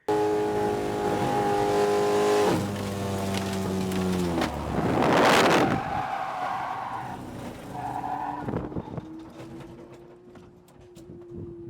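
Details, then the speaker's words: Track car entering Bishops high-speed turn, just shifted into fourth: engine note at speed suddenly breaks into gravelly clatter about half a second later as the motor lets go, then tyre skid on its own oil and fading revs. "looking at the datalog is when the uh motor let go uh so you'll hear in the video uh what sounds like gravel"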